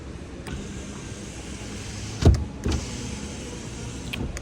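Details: 2021 Kia Forte rear power window rolling up after cutting out two loose material flaps that caused a screech going up: low, even motor hum, no screech, a couple of soft thumps. Normal power window operation.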